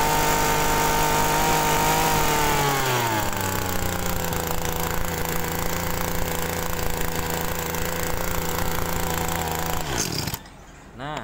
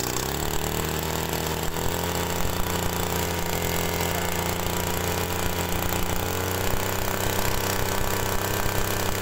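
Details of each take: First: Two-stroke TU26 agricultural sprayer engine, carburetor not yet opened, wasting fuel; at full throttle the buzzing sags in pitch, never picks up, then cuts out; mixture too rich at high and idle settings, needs leaning. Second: TU26 two-stroke agricultural sprayer engine, brought in for excessive fuel use, after adjusting the carburettor's low-speed mixture: steady even buzz at mid throttle with no hunting or popping; mid-range still slightly rich but acceptable, as leaner would stall at idle.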